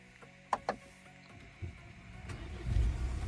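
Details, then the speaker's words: Mercedes-Benz GLC 220 d 4MATIC, 143 kW diesel, engine bay untouched: two clicks, then catches almost instantly and settles into a steady, quiet, even idle; healthy start. "двіжок запускається з півоберта впевнено тримає оберти працює тихо і стабільно"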